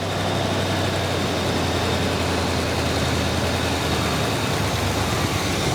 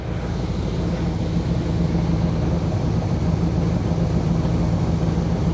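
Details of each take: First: 1979 Chevy Camaro barn find sat over a decade, first start: steady high idle with deep constant drone that never settles; carburetor has no choke, so fast idle never comes off without manual help. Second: 1979 Chevy Camaro barn find sitting over a decade, carbureted with no choke, fast idle knocked off: even steady low rumble at idle while warming up, original exhaust with big canister muffler; possible blue smoke, rings suspected.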